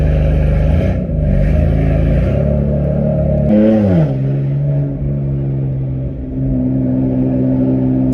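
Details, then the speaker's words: BMW M4 on a drive with new spark plugs, check engine light cleared; engine pulls cleanly and strongly, tone climbing smoothly with crisp, even gear changes and no stumble, healthy under load, just before an unexplained pop sound. "So far, so good. It pulls really well."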